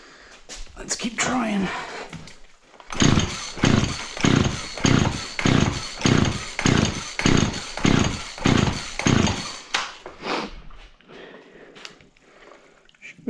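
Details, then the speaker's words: Auction-bought Husqvarna 36 chainsaw with 16-inch bar, spark confirmed and plug dry: repeated rope pulls, each a short whirring rush with no firing. Crank no-start from fuel starvation; the fuel filter looks to have fallen off the fuel line. "alright she's not getting fuel so let's see what else is going on with this thing"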